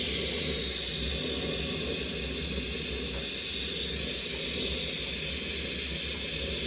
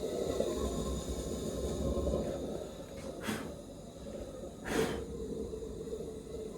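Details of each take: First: Maxitrak 1.5-inch Allchin live-steam model traction engine first steaming, run up to working pressure: steady loud steam hiss holding constant several seconds as the boiler safety valve lifts and blows off. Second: Maxitrak 1.5" Allchin live-steam model, gas-fired, first steaming after overgassing: steady gas hiss broken by sharp irregular spits a second apart; burner spitting as excess gas runs out.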